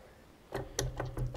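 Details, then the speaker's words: Caterpillar D4 7U, steering clutch linkage worked by hand to disengage the clutch with the transmission cover off: quick run of sharp metallic clicks and knocks from slop in the linkage joints. "when you pull down on here this would be to disengage the clutch you hear that clicking that is due to slop in this linkage over here on this linkage here"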